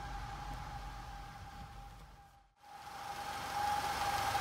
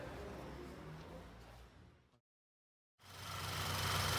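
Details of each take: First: Audi TFSI direct-injection petrol engine at idle with check-engine light on and irregular idle: steady high whistle, belt- or scraping-like, cause not yet identified. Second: Audi with TFSI direct-injection engine (VW/Audi family), in for engine noise and lit check-engine light. Idle after replacing the faulty part and seating its diaphragm: steady and even, a brief dropout midway, no stumble or hunting, now stable where it was unstable. Normal idle.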